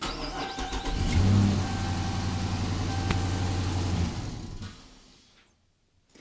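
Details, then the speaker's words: 2014 Dodge Charger Pursuit Hemi AWD, restart test after replacing blown fuse: short crank, catches at once and settles into an even, steady low idle; clean normal start, cause of fuse blowing unknown. "Yes! Ha ha ha! All right, that's a good start, good sign, I think."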